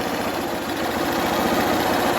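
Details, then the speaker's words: 2011 Honda Fan 125 motorcycle after head and cylinder rebuild for piston and cylinder wear from lack of oil; steady even idle with no knocking, engine now quiet. "Mas ó que o motor silencioso eu vou tampar o escapamento o motor silencioso motinha montada galera"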